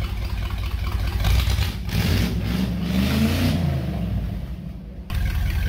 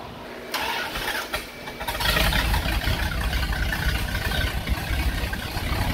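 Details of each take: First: 1977 Dodge B200 van, 318 V8 with TorqueFlite 727 automatic, pulled from a junkyard and revived, warming up to test the cooling system. Deep rumble rises and falls smoothly through blips, no knock or misfire, running like a sewing machine. Normal running. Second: 1977 Dodge B200 van, 318 V8 with TorqueFlite 727, after a performance exhaust was fitted. It cranks, catches and idles heavy and lazy, lacking snap, with ignition timing at minus four degrees. Retarded ignition timing.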